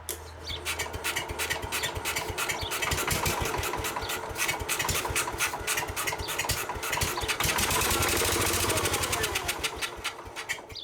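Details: Case 222 lawn garden tractor, grandfather's, sitting for years, started at half throttle with starting fluid: busy small-engine clatter settles into a steady beat of about three firings per second, engine caught and keeps running.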